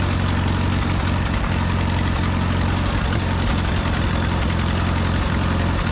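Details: 1951 Farmall M tractor at idle after new points, rebuilt carburetor and new handmade spark plug wires: uneven four-cylinder beat with occasional stumbles and knocks; intermittent miss, cause not found.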